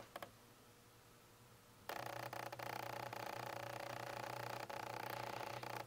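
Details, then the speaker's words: Nikon Z6 with F-mount lenses on the FTZ adapter: in a quiet room a sudden steady whirring drone with low buzz and small clicks. Lens autofocus motor noise picked up most by the camera's internal mics, then the Rode VideoMicro. "the microphones in the camera itself picked up the noise from the f-mount lenses is the most and the rode videomicro picked them up the second most"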